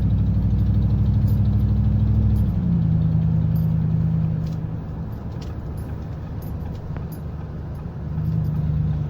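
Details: 2009 Ford F150 V8 idling and revving with a quick, steady ticking rising with engine speed, making it sound diesel; Ford diagnosed a leaking left-side exhaust manifold, later replaced.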